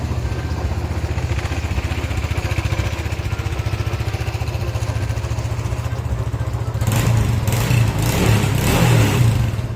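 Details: Honda PCX150 scooter, previously no-start with dead meter and fuel pump traced to a weak battery, now charged: quick crank catches cleanly into a steady, even single-cylinder idle with a light rev blip; starts and runs normally.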